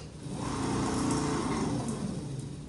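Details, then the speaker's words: Minn Kota bow-mount trolling motor, 70 lb thrust, losing thrust: run on the foot switch it spins up to a loud, rough whirr with scraping grind; owner suspects the armature shaft was bent by hitting rocks, before armature replacement. "The reason I'm replacing mine is because I think from hitting rocks and grounding out so many times, the armature shaft finally warped out or bent a little bit and it's not on."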